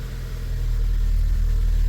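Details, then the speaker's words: VW Golf V Plus 1.4 TSI turbo after engine repair from slipped timing chain, sitting two years: deep, steady note revving smoothly with no knock, rattle or chain slap, slight shake possibly a mount; normal revving. "d let's give it some revs Oh Yes sounds normal no freaking way it has a little bit of shake"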